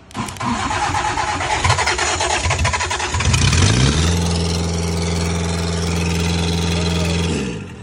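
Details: 1998 Gehl 4625 skid steer, 4-cylinder diesel with self-rebuilt injection pump, new injectors and filters, glow plugs heated: rough cranking about three seconds, then catches into steady even idle firing cleanly; normal start.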